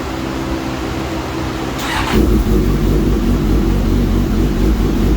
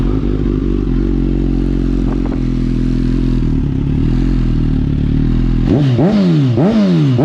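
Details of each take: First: Suzuki GSX-S 1000 with aftermarket header after ECU flash, air-fuel ratio dialed in, rev limiter raised to 12,500 rpm: steady, even idle with a firm low rumble and no hunting or surging; normal idle. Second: Suzuki GSX-S 1000, hot, after aftermarket header install, before ECU flash: twin-pipe idle runs unevenly, revs swinging up and down in repeated surges; lean idle surging from too little fuel.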